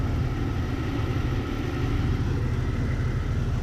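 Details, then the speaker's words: 2000 Jeep 4.0L, low power after engine rebuild, fuel pressure about 45 psi versus 49 spec: deep, uneven, slightly lumpy idle with vacuum under 12 inches; later found the rebuild used wrong, too-long lifters. "Look what kind of vacuum we got. We don't even have 12 inches."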